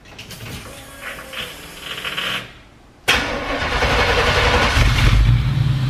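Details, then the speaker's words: West Coast 65 Shelby Cobra replica V8: starter catches at once, then a deep, steady, lumpy burble settling into an even idle; normal start and idle, engine sounds healthy. "yeah it is it sounds pretty good"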